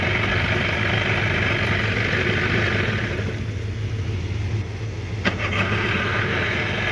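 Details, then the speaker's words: 1993 Johnson 15 hp tiller two-stroke outboard after a carburetor clean: steady, even buzz that eases back a little partway through, with no misses or stumbles; normal running. "hey you see this motor runs really good now i have the car clean you can really ask much better than that"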